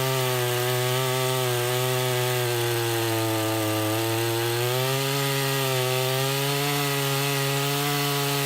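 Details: Husqvarna 353 chainsaw after restoration from a basket case (gas line, chain drive, carburetor tuned), cutting wood: strong steady two-stroke buzz dips slightly as the chain bites and recovers cleanly; pulls well and healthy.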